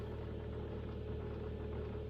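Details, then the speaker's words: Kia Optima 2011, G4KD 2.0, 127,000 km, after piston/ring replacement for early scuffing (knock heard especially cold): first start, quiet even idle with soft steady hum, no ticking or knocking; only flap/panel sounds noted; normal idle. "Да это заслонки работает тихо никаких звуков лишних не издаёт"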